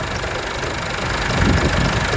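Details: Chevrolet S10 with MWM diesel engine after turbo replacement and full service: steady, even idle with light regular clatter, no knocks or misses; healthy.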